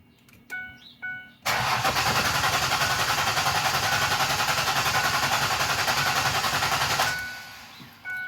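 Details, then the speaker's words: Clear-flood-mode crank with the accelerator pedal held to the floor, to listen for mechanical problems: even, steady cranking at about 3.5 beats per second with consistent compression. Codes read afterward include system too lean bank 1 and random misfire. "okay so that's good it sounds pretty consistent to me"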